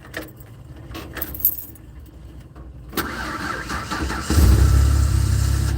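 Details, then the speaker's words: Ford Aerostar after fuel pump work, the pump no longer audible: key and handling noise, a short crank, then it catches and settles into a steady, even idle with no pump whine, a normal start and idle. "Wow, I can't hear the fuel pump anymore, guys. I don't know if I like that."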